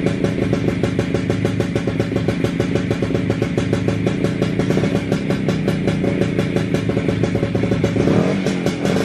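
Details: WSK 125 two-stroke motorcycle, first start after engine rebuild, engine back in frame: crisp even idle with quick regular popping that holds steady without stumbling; owner surprised it started and held idle. Normal idle.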